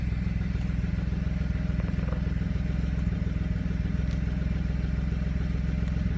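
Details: 2007 BMW 335 idling with a lumpy, uneven beat and occasional stumbles, a misfire with fault codes. It appeared after winter storage and a valve cover gasket change; cause unknown.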